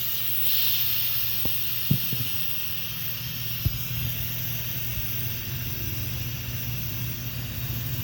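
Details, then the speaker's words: 2016 Bentley Continental GT during strut replacement; the air line on the strut is being loosened; steady high hiss of escaping air under a few tool clunks; residual air pressure venting from the suspension strut, as expected. "Once you remove the air line, you'll hear air start to come out. Once you loosen it a little bit, I think you can hear it now."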